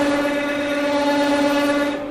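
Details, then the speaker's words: Manual lathe parting steel with cutting fluid at 460 RPM: steady ringing squeal with buzzy edge, chatter from excessive spindle speed; fix is slowing to 300 RPM. "right so I'm not happy with that I'm getting quite a bit more chatter than I would like and to to help with that chatter I'm going to slow down the machine"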